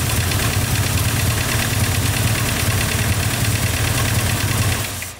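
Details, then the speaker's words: Mercedes ML500 5.0 V8, idling after restart: rough uneven idle with persistent knock over low rumble; compression test shows zero on cylinder 3 of the driver-side bank. "Elle tourne mieux. Ouais, mais bon, il y a toujours le claque, hein."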